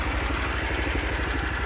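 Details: Allis Chalmers 712 lawn tractor prepared for pulling, fuel filter drained of water: even single-cylinder chuffing about twelve beats a second, steady and unbroken; the small engine idles cleanly, normal idle.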